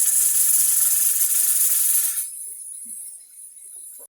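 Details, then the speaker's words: All American pressure canner processing raw-packed pork on stove at medium-high: strong steam hiss easing as the weight settles, light regular rattle, weight jiggling 1 to 4 times; normal regulator venting at correct pressure. "So there it goes. So that's what you want to hear, 1 to 4 times a"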